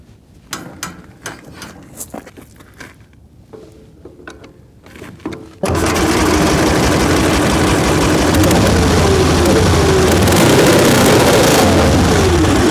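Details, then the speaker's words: Excelsior motorcycle first start in 3.5 years, on new plugs after the old ones were found wet: after a quiet lead-in it catches and runs loud, ragged and uneven at a fast beat. It ran great last time, and the cause is unknown. "Well, it fired up. Not sounding good though."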